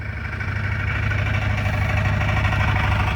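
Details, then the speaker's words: Car first run after transmission swap (failed front pump or torque converter) with exhaust fixed: steady, even low idle rumble with no rattle or buzz; exhaust tight, engine runs smoothly. "damn this sounds good without that rattle I think it's doing good"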